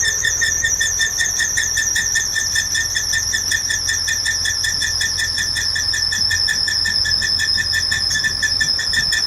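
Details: Engine abnormal noise recorded 23 Feb 2018: loud, steady high-pitched squeal with a fast warble over a faint engine hum, never letting up; abnormal squealing from the engine.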